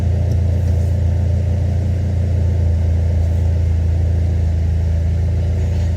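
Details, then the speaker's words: Dodge Neon SRT-4 after installing three solid motor mounts (AGP trans mount, two BWoody torque mounts); steady low rumble pulling away under light load, no clunking as the clutch comes out, though still a little jerky. "off the bat the engine doesn't move whenever I pull the clutch out. Usually I hear a "CLUCLUNK CLUCLUNK" whenever I'm doing this."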